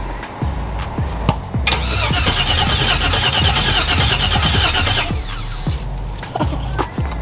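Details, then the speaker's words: 1972 Buick LeSabre convertible, LS-swapped, first start after seven years parked with fuel pump on: a few seconds of cranking, then it catches, runs about three seconds and shuts off; smoking a little. "all right guys we're getting ready to start this thing for the first time in seven years"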